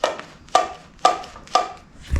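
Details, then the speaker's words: 1974 Yamaha Enduro, engine off: crisp hollow clacks about twice a second ringing out of the airbox as the carburetor slide moves freely on its intact cable, while the oil pump cable is broken. "So that is the sound of the slide moving up and down and echoing out of the airbox here."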